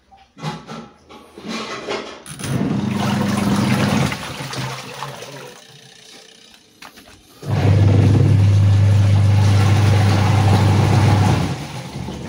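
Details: Sharp EST75MW twin-tub washing machine on final test after gearbox repair (wash pulsator had not been spinning): low, even motor hum with a steady churning pulse about four times a second, no grinding or clatter. Wash motor and pulsator running normally.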